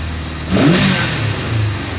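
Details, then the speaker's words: 1974 Honda CB550 four-cylinder, warm, after static timing, cam chain, valve adjustment and carb synchronization: clean quick rev from idle settling back smoothly with even firing and no stumble; idle adjustable from about 500 to 10,000 rpm, confirming carbs synced. "so as you can hear the idle is adjustable now I can put it down as low as like 500 all the way up to 10,000 if I wanted so that's a good way to know that the carbs are now synced"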